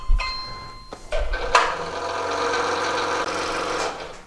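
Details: DeWalt 788 scroll saw after replacing the stripped upper blade chuck thumbscrew assembly, blade tensioned: a tight blade pluck rings clear, then an even, steady buzz with no knocking or rattle; running healthy.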